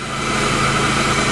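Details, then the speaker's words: 1998 Chevrolet Lumina LTZ, sat about three years, first start without touching the gas: smooth, even idle with a steady exhaust note, no smoke, misses or knocks; engine running healthy. "oh my god first try i didn't touch the gas motor sounds perfect wow no smoke good exhaust well you'd never know"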